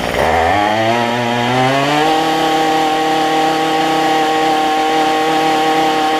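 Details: Cheap two-stroke weedeater after a $6 Chinese replacement carburetor, a different gasket between air cleaner and carb, and carb adjustment: engine climbs quickly to a clean, steady high buzz with no stumbling or surging; running properly, cold start not yet tested.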